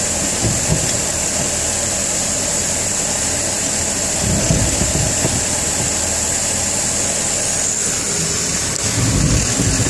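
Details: BMW E46 jacked up at rear, engine running in gear with rear wheels turning: low, uneven thumping bursts from propshaft/differential area over steady hiss, a little more acceleration; clunking followed by loss of drive while driving.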